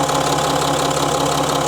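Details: Citroën C6 diesel idling: faint airy hiss and light puffing pulses over the clatter, suspected boost leak or possibly exhaust leak, not confirmed; a timing chain noise is also present.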